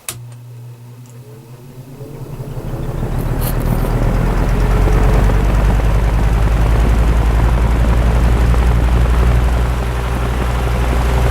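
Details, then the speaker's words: Repaired spare Marco motor from a Lasko/Galaxy box fan, restarted after running on low at about 1 A: low hum swells over a few seconds, then a steady, even drone with no rattle or scrape; starts cleanly. "Yeah, it runs just fine. Start it up again, see if I can get the startup sound a little better."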